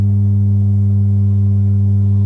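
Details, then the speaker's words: Marshall MG30FX guitar amp giving only a loud, steady buzzy hum and no signal after power-on, from a failed TDA2050 power amplifier chip on the main board, which is replaced. "Today we have Marshall MG30FX, and after power on only hum,"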